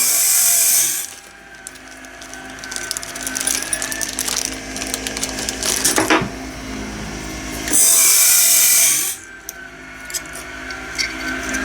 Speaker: This is a little more complex than I was kind of expecting it to be. Why is that still grinding so much? I'm a little concerned now. I didn't change anything.